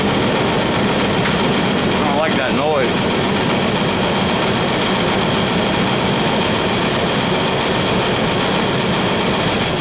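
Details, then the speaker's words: 4.3 V6 at cold idle, 60 psi oil pressure, low fuel: loud steady idle with busy ticking clatter; owner suspects the ignition cap, unconfirmed. "all right that noise feels like it's coming from my cap so I'm going to double check my uh ignition cap back there"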